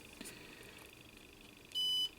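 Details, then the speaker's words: Two clean high-pitched continuity-tester beeps over quiet background: switch contacts checking fine while repairing an MFJ-994BRT 600 W automatic antenna tuner that fails with its bias tee connected (high SWR). "so we are dealing uh with our beeper finally and yeah it's beeping and let's switch it to this position here and then we should see okay so that is working"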